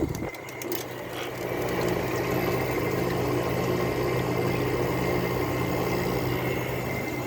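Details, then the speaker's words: Small low-end Fedders window air conditioner, first test after reassembly, front grill off: fan spins up to a fast hum with faint rattle and thin whine; fan motor sounds rough, owner thinks it may need replacing. "fan motor has a bit of a speed to it"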